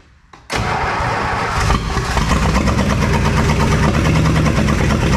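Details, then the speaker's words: 1966 Plymouth Fury III, 62K miles, swapped engine, run off a temporary fuel supply instead of the tank: cranks, catches and settles into an uneven, lumpy, stumbling run; missing on a cylinder. "Oh, give it a little gas. Thanks so much. It sounds like it's missing."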